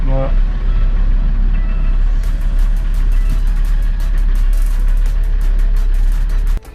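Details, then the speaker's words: Alfa Romeo 159 2.4 JTDm diesel just after fuel filter replacement (UFI), filter primed until no bubbles heard: engine catches quickly into steady low drone with even diesel clatter, no stumbling; clean healthy start. "normalement ça devrait démarrer correctement on n'entend pas de bulle"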